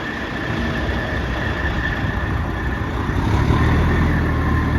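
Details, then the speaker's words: 1994 Spartan fire truck, freshly serviced Detroit Series 60 11.1L turbo diesel at idle: even low rumble with a steady turbo whistle above it, no smoke; runs like a top. "As you can see, no smoke. Runs like a top."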